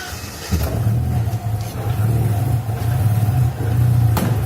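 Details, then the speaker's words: Alfa Romeo, engine started cold during coolant bleeding, thermostat still closed: catches and settles into lumpy, uneven low rumble wavering in strength; rough running because ignition timing not yet set with a timing light. "Ele está a trabalhar um bocadinho tosco porque eu ainda não tenho a pistola para ver o avanço da faísca, mas ele já vai ao sítio."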